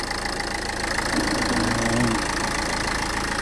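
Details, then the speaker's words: 2011 Renault Scenic 1.5 dCi diesel after replacing the faulty cylinder 1 injector with a same-part-number unit to cure a misfire: steady, even idle clatter with no stumble or dropped beats. Misfire gone, normal diesel idle. "The car is running absolutely fine. There is no mis power anymore. Everything is running good."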